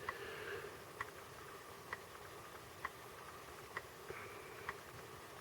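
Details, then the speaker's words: 1986 Sony Walkman WM-DD3 cassette player bought used, playing a tape; faint sharp ticks about once a second, still heard during rewind; odd clicking from the tape mechanism, source unknown, owner unsure if normal. "now it looks like it has the tape. I don't know about that clicking noise, it's kind of odd."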